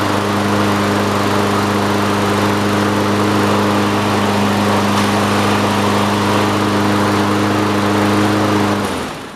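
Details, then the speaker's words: Toro self-propelled push mower, single-cylinder engine previously with blown rod, slightly raised throttle, oil in cylinder after being tipped: smooth constant buzz, no surging or knocking until shutoff; runs healthy. "Seems good to me."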